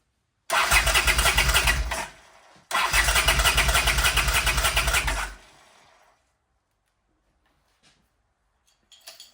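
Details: 1979 Honda CX500 motorcycle, fuel to carbs, idle turned up: two bursts of steady cranking, about three turns a second, never catching; cranks but no start, cause unconfirmed.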